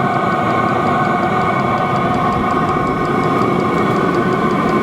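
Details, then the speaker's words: Cheap Chinese clone 12-volt diesel heater, first run straight out of the box, outdoors in the evening: steady roar of burner and fan with light regular fuel-pump ticking throughout; working fine. "better weather but it seems to be working fine"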